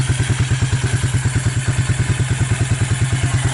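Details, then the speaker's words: Suzuki KingQuad 300 4x4 ATV, long abandoned, first start after Mikuni to Keihin clone carburetor swap, on choke: steady single-cylinder thumping at low idle, about three beats a second, firing evenly; engine runs fine. "I like that it sounds like she's got potential"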